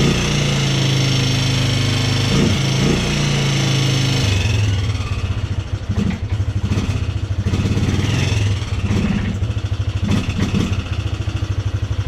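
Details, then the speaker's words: Polaris Sportsman 300 ATV at idle after timing chain and valve adjustment: uneven idle with a light, fast tick about three per second, seemingly from the top end; owner suspects valve tap, not confirmed. "actually run but it still sounds like it's making that ticking sound sounds like it's coming right from the top end"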